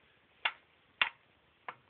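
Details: Toyota Probox engine removed after overheating, turned by hand: three sharp hollow knocks from pistons in scored, blue-stained cylinders with visible gap, piston slap; bores need boring.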